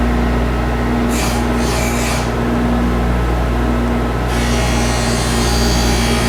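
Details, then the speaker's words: Skate profiling machine grinding a pair of CCM hockey blades, toe adjusted while pivoting on the heel bearing: steady motor hum with a light grinding rasp as the wheel just touches past the front line; normal profiling grind. "so you can hear it just just touching as we're passing that front line"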